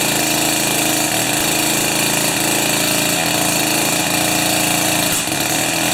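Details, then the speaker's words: Jiffy 30 2-stroke 3HP ice auger on 30:1 fuel after J19LM plug swap: high buzzy idle holding fairly steady with a light crackle; bottom shaft stops turning at idle, acceptable idle. "and then on idle the bottom shaft just stops turning so i think i'm there"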